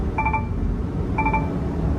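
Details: Garbage truck with its engine running while air is built up. Short bursts of three quick beeps repeat about once a second as the low air pressure warning sounds. The PTO, blade and arms will not work until the air system fills.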